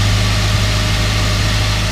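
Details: Ford Ranger idling just after ignition coil replacement with new plug wires and dielectric grease: steady, smooth low hum with even drone, no stumbling or ticks; normal idle.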